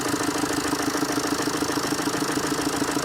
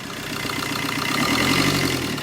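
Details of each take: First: Warm Tata Zest diesel that already had timing chain work; the knock lessens when an injector wire is unplugged. Hard, even knocking about three times a second over a rough, misfiring, backfiring idle, caused by seized injectors. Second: Tata Zest diesel with reported knocking (timing chain already done, noise dropped with one injector unplugged), morning start with hand on silencer: steady, even idle with smooth regular beat, no knocks or ticks, no smoke; sounds healthy.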